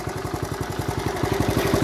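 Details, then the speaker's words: 1970 Honda Trail 70 single, kick-started after years sitting drained, with clamps replaced and stabilizer added: steady quick idle with even pops, no misses or rattles; normal idle, runs like a top. "Honda Motors are hard to kill but it's a sweet ride"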